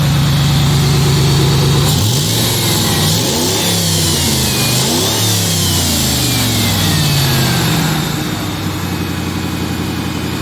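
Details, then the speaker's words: After correcting a part that had been installed backwards and welding in sensor bungs, with suspected fuel delivery issues: engine revs up and falls back cleanly with no stumble, no longer dropping to zero and stalling; sounds much better. "almost definitely doing better because before it was just kicking down to like zero and shutting off it doesn't sound good sounds much better now"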